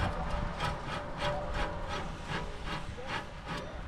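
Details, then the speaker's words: 2006 Jaguar S-Type during brake pad and disc replacement, caliper and disc removed: rough rhythmic grating about three times a second as the hub is turned by hand; the wheel bearing is very stiff, suspected worn. "then I noticed something rather odd this bearing is so stiff like I don't think that's normal"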